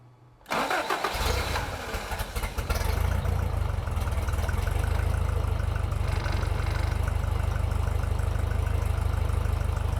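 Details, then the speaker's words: Toyota 22RE in a buggy with a new fuel system, after refitting the old fuel pump (new same-part-number pump of a different brand seemed to lack fuel pressure): catches almost instantly after a brief crank, then settles into a steady, even low idle; normal start and idle. "I guess that pump didn't have enough fuel pressure. thing was brand new and it was the same part number."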